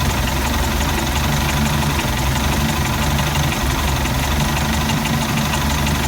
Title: Mercruiser 3.0 rough idle